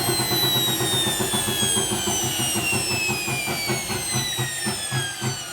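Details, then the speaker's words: Hotpoint HE8L493 washing machine, original 3-phase motor swapped for a universal motor wired directly to mains: as the drum coasts down the whine falls under a rough chunking grind about four times a second; broken spider or distorted drum in the plastic tub suspected. "as the motor spins down, you can hear that chunk grinding noise, which suggests that the spider's broken or the drum is somehow distorted inside the plastic tub."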